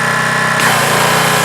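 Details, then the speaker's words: Pressure washer after a leaking valve was refitted: even engine drone that steps up as the pump takes load, then holds steady, no knocking or surging; the leak was only a loose hose connection and it runs fine. "It works fine. It's good."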